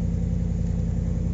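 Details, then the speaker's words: Stone-cold start of a Ram truck with new Solo exhaust after sitting a while: deep, steady exhaust rumble with even pulses, smooth idle, nothing amiss; normal cold start idle. "yeah so that's a cold start it's not uh not moved in quite a little while there it's gonna be stone cold"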